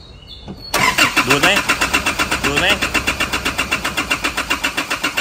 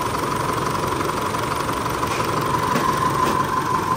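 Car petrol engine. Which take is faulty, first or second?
first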